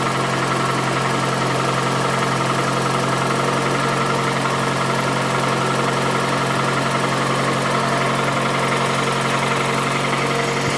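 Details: Toyota Camry 2AZ 2.4L petrol, 220,657 km, smoking from under the valve cover: loud, harsh idle with a steady hum and an uneven knock about three to four a second; knock source suspected, not confirmed.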